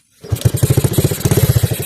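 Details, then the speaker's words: Honda Wave 110i after engine rebuild (new piston, gear-2 repair): starts easily and idles, but on throttle runs with rough uneven pulses and sags or dies; injector suspected, not confirmed; engine stumbles on throttle. "เจอนะผมสตาร์ทติดง่ายเดินเบาได้นะครับผมแต่เวลาเร่งดูนะครับเวลาเล่นจะดับอยู่เอาใหม่"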